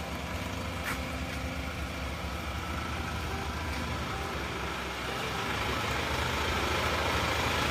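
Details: Isuzu Panther diesel at working temperature, after new original liners and piston rings fixed a compression leak that smoked at the oil filler cap and dipstick; steady, even idle at about 200 beats a minute, no knocks or misses, no smoke; normal idle.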